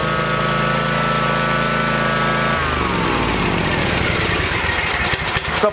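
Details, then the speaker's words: Kawasaki engine on a Cub Cadet mower with choke lever stuck on (return spring fails to pull it back down): runs unevenly, pitch sagging and wandering instead of holding steady idle, rough and rich. "that lever when you take the choke off it's supposed to go back down it's got a little spring on it to help it but it's stuck now let me fire up the tractor and you'll hear"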